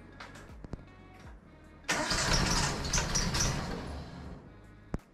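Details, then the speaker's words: 1968 Datsun 2000 Roadster, first start attempts: cranks, catches in a rough uneven sputter for seconds with a little gas, then dies; firing order/ignition timing 180 degrees out, distributor can install two ways. "yeah that was that was the most progress I've heard yet give it a little bit of gas Maybe wow progress guys"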